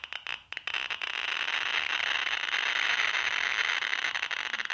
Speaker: I've got here a bit of pitch blend this is a naturally occurring mineral of uranium but there's other stuff in it as well and it's an alpha and a beta emitter so which is why you can hear it clicking a bit further away from the